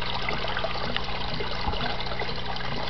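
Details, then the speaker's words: Desktop aquaponics, two tanks, two grow beds, one pump on a timer: steady rush and gurgle as the last bed fills nearly to the top, barely room to drain; pump interval too long, to be retimed with ATtiny. "and you'll see this will go all the way up to the top barely leaving enough room for it to even drain and what I'm going to do is use my at tinies to better time this so that it doesn't get this high"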